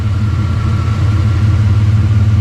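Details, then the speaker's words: 1992 GMC Sonoma GT, 4.3 V6 CPI, after long idle surge problem fixed with a new spider injector and distributor timing reset by ear: steady, even low idle hum with no misses, surges or knocks. "oh idols like a kitten I'll give you a little bit more time just to prove it"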